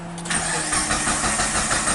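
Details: Mitsubishi Lancer (4G18, stated 2003 or 2006), stalled on the highway, no DTC and no spark: starter churns at an even cranking rhythm with no catch or firing; crank-no-start, traced to a failed crank sensor.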